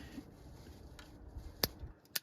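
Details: 1942 Ford 200ci engine not run for 20+ years, distributor cap off, rotor turned with 12 V on the coil, points and condenser previously replaced: two sharp dry snaps about half a second apart as the points open; healthy spark.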